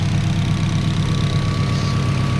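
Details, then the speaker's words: K24-swapped turbo Honda Civic on Haltech ECU with freshly redone wiring loom and timing just set: smooth, even idle with faint steady whistle on top, no knocks or misses; running clean; normal idle. "this is what she sounds like out the back absolutely purrs big shout out to haltech but it's running like an absolute dream now"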